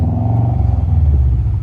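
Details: Subaru boxer engine, not a genuine RA STI, been sitting, smoking a bit at warm-up: short throttle blip gives a low uneven rumble that swells and settles cleanly with no knock or rattle; revs normally.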